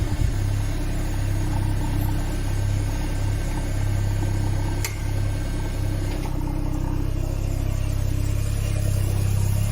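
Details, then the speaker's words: Citroen BX during restoration, freshly reassembled with breather system not yet fitted and a soot-smoky exhaust: steady, even idle with a soft pump whir underneath, slight tinkle from the resonator; normal idle. "So, hear the pump running. Seems well so far."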